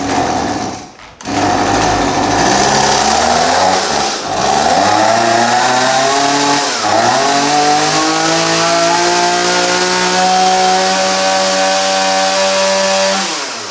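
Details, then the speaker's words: Stihl MS180C chainsaw after carburetor work, running on 50:1 fuel mix after a full-choke start: small two-stroke screams high, sags, then climbs and wanders without settling; the idle screw on the side of the carburetor needs adjusting. "so it sounds like it needs a bit of an aisle adjustment"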